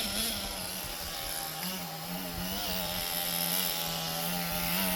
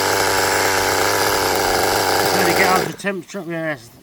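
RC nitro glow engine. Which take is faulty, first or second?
second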